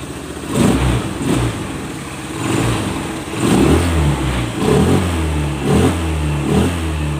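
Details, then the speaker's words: Honda Scoopy FI injection scooter, previously with delayed throttle and sluggish pull, after full service, CVT upgrade and adjustment; several sharp throttle blips rising and falling quickly without lag; normal, responsive throttle after repair. "Oke, sudah responsif. Oke, sudah saya perlihatkan tadi ya, sudah tarikannya sudah responsif ya."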